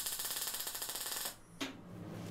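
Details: MIG welder still on its previous settings for 3 mm plate welded downhill, laying a fillet weld on tacked test pieces ground clean with a flap disc: an even, crisp arc crackle for about a second. It is a normal weld.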